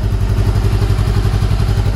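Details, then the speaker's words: 2013 Honda CBR500R twin, salvage-auction wreck fully restored, first start after restoration: fires right up and idles with an even, steady low thrum and regular firing pulses, no knocks or rattles; normal healthy idle. "yes there we go and it sounds so good"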